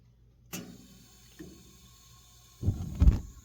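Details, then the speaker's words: Propane fireplace whose pilot keeps going out, after the logs were reset; turned up, a single click, a pause, then a soft whoomp and rush as the main burner lights normally; not yet confirmed fixed. "I'll turn it up. 1, 2, 3. You'll hear it kicking on for a second."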